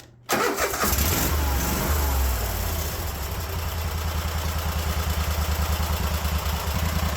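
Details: Cub Cadet 1050 Hydro with Kohler 24 hp SV725 single, after a sticking governor idle cable started working again: brief crank, then it catches and settles into a steady, even putt at idle; running healthy.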